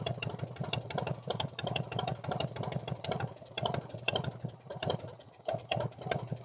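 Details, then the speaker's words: 1990 Harley-Davidson Fatboy V-twin after S&S Super E carburetor and intake manifold install, during carb tuning: uneven stumbling idle with brief dips; rough idle, valve train noise suspected from rocker arms after lifters were replaced. "Alright, so that's running a little rough."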